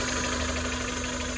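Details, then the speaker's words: A Chevy (Geo) Metro small petrol engine idles with a steady low hum and a faint high whine over it. The owner suspects the power steering pump, a known issue, and may replace or delete it; the source is unconfirmed. "what is that noise is that my power steering pump and we know that's an issue sounds like it probably is probably need to replace that"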